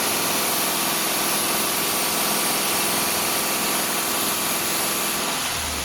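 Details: Subaru at 68,000 km, after repair of a noisy AC compressor and uneven left/right cooling caused by a leaking evaporator losing compressor oil: steady hiss of blower over an even idle; compressor quiet, no knocking, rattle or grinding; AC normal.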